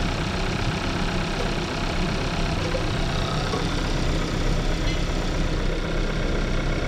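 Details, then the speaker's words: 2014 Kia Forte after replacing ignition coils for P0301 cylinder 1 misfire at idle: even, steady idle with no stumbles or skipped beats, way smoother; normal idle, misfire fixed. "oh yeah feels way smoother we're not the best location I can get for the myth fire it is not misfiring anymore"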